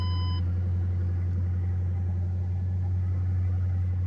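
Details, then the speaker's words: 2008 Ford Mustang Bullitt, salvage auction car with leaking radiator, run only about a minute: short chime, then smooth, even low rumble with no ticks or knocks; steady healthy idle. "Just go ahead and starts up. It's a nice Sounds like a good engine."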